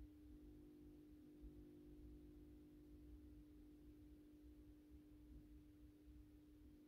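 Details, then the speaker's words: AEG Minikoffer West German post-top mercury vapor streetlight (80/125 W) on its first startup after rewiring per the ballast schematic, 125 W Osram Deluxe bulb. Steady low electrical hum with one clear pure tone, even throughout warm-up: normal ballast drone. "let's do the first startup run with the intended mercury vapor bulb 125 watt osram Deluxe will be vapable you can hear the ballast is humming a little bit"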